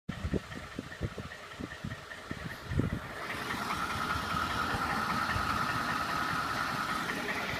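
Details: 2012 Ford F-150 5.0 V8 at idle with sharp, fairly regular knocks about two or three a second that blur as revs rise; engine knock, cause suspected, not confirmed.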